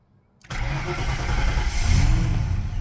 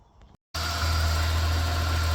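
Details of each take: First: Ford NL Fairlane V8 start and revs: faint tone climbing and falling with engine speed under the rumble; idle possibly needs raising, source of the whine unclear. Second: Ford NL Fairlane V8 (Windsor 5.0) with its battery drained after sitting three weeks, jump-started: a click, then it catches and settles into a smooth, even idle with a deep steady rumble; runs fine.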